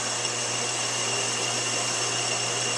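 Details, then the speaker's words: Deep-hole drilling about six inches through 5/8 rod in a lathe, pecking a quarter inch at a time with oil: steady hiss turning gritty over motor hum as chips pack the flutes, signalling time to retract. "you can hear when it starts raining and getting really gritty it's it's time to real a bit"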